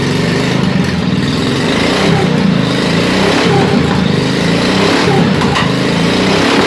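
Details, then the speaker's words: 1987 Wheel Horse 211-4 mud mower with snorkel, single cylinder, not yet warmed up: loud chug with an uneven, wavering beat and slight speed hunting. It idles on its own but smokes a little; owner suspects a jetting issue, lean or rich, with the carburetor struggling with snorkel airflow. "still has a little bit of a jetting issue I think it's running a bit lean it smokes a little so it kind of indicates that it's running rich but it'll idle under its own power"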